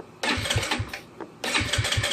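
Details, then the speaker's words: GY6 scooter with the handlebar controls and kill switch set up: two short starter bursts, catching each time into a brisk, even chuff. Normal start. "See that? It's just running."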